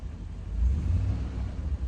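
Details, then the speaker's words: Rolls-Royce after a roadside ignition cut-out failure, now running like clockwork: smooth, even low rumble with no misses once warmed through, small fuel pump audible; normal warm idle. "now she's warmed through a little bit. She sounds lovely."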